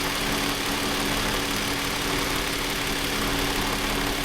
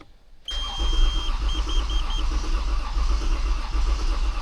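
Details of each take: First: Toyota Avalon after water was cleared from injectors and plugs: even, steady idle with a smooth hum. Code P1603 is still stored. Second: Toyota Avalon with hard starting, fuel pressure 90 after pump began working and battery replaced/jumpered; steady even cranking but engine never catches, crank no start; water then found mixed in the gasoline.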